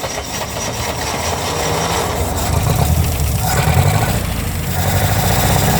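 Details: International Harvester Scout 80 barn find (1961/1964) after years of storage, fed gasoline, on choke. First restart: low, chugging four-cylinder idle builds in loudness, still somewhat uneven.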